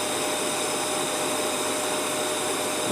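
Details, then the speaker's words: Prestige induction cooktop, dead with no lights before repair, now at max power setting, reaching maximum in 3 seconds and heating water quickly: steady fan rush with a constant high whine and no rattle; normal operation at full power. "देखिए इसका power बढ़ गया। 3 second जो दिया 3 second में इसमें maximum से maximum इसमें पावर आ जाता है।"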